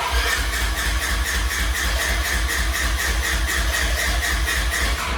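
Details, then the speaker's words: Side-by-side off-road vehicle with the fuel pump relay pulled while demonstrating a kill switch: steady starter cranking at about four even beats a second that never catches; no fuel pump running, crank no start. "well let's go ahead pull that relay out and try and start this machine all right so we didn't get any fuel pump going off"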